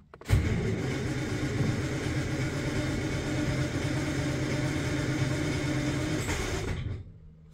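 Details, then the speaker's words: 1949 Armstrong Siddeley Lancaster, not started for a year, hot day, choke not yet pulled: steady starter churning about six seconds with no catch or firing; long crank, hard start. "okay so as I expected she's not starting straight away struggling I obviously don't want to flood it we're getting somewhere"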